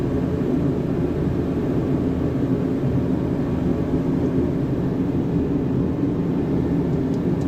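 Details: Diesel heater: steady, even low roar with no surging, sputtering or popping; burner firing cleanly on its low setting, normal running.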